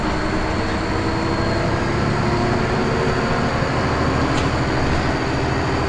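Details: First Manchester Volvo B10BLE bus, recorded October 2010: a thin, steady high-pitched whistle over the diesel drone and road rumble, unchanging pitch, source unclear: high-pitched squeal.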